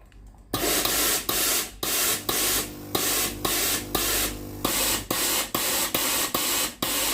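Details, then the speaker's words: Tefal GV9820 steam iron after 10–30 minutes of use: repeated hissing steam bursts with gaps and uneven timing, with clicking and then no valve sound; the steam solenoid valve coil opens when hot and makes intermittent contact. "แล้ววาล์วน้ำก็กลับมาทำงานอีกครั้งหนึ่งนะครับแล้วก็ไม่มีเสียงวาล์วน้ำทำงานนะครับอาการดังกล่าวนะครับเกิดจากในส่วนของคอยวาล์วด้านในเครื่องนะครับ"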